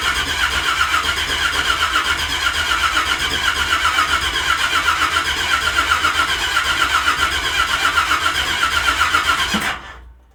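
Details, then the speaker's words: Carbureted truck, cold start attempt: steady, even cranking about four beats a second for ten seconds that never catches; no spark because the distributor was left unpowered. "Sure would be good if we had power going to the distributor if we were trying to fire it up, huh?"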